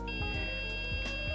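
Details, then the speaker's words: Green Play It Loud Game Boy, broken trace repair: multimeter continuity beep, a steady unbroken high tone, when probes touch two contacts that normally connect in series across the scraped trace, confirming contact. "So you hear that beep? That's from touching two contacts that would talk to each other in the series."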